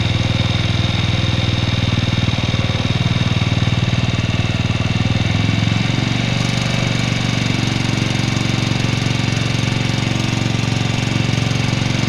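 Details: 2004 Suzuki Shogun 125R, clutch lining, clutch housing and cam chain with its rubber replaced a year ago: fast steady clatter over a loud thumping single at idle, not changing much; source of the mechanical noise not pinned down.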